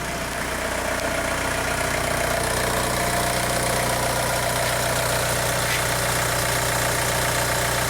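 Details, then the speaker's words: 2002 VW Beetle 1.9 TDI ALH after injection quantity adaptation with VCDS fixed slow-down shudder: steady even diesel clatter at idle with no surging, shake or missed beats; engine runs smoothly. "notice we have a smooth-running engine now camera's not shaken"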